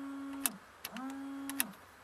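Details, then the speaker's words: 1990–95 Toyota Tarago/Previa/Estima, 15A fuse reinstalled: rear wiper motor steady low hum clicking off and on as it sweeps; motor works normally, this fuse controls rear wiper and washer. "So if I put this 15A fuse back in, you'll then hear the rear wiper motor."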